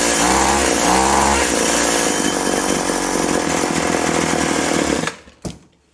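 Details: Husqvarna/McCulloch Tivoli 65 two-stroke hedge trimmer, parked 15 years, after replacing perished fuel lines, throttle cable disconnected: revs up crisp and steady with even buzz, no misfire, then shuts off cleanly; running healthy.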